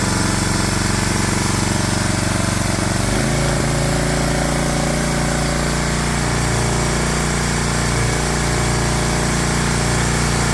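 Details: Briggs & Stratton 7 hp engine on a Swisher 22-ton log splitter, after carburetor cleaning to cure surging: rough at first, then settles into a smooth, even run with no hunting. Steady idle, fixed.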